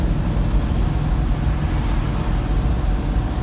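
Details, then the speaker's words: 1973 Plymouth Duster in gear at steady cruise around 2500–2600 rpm after a door rattle fix, windows down then door closed: even engine and road drone, no buzzing or rattle from the door. "I just had to show off with the door closed no rattles it doesn't rattle with the car and gear charges in gear too that's nice"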